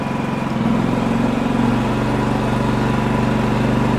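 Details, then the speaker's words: Champion 4500W dual-fuel inverter generator, after repair, in eco mode: runs steady and idles up as load rises; normal eco-mode idle-up. "it automatically idles up and it tells you how much power consumption you have here go up to full power it kicks it up"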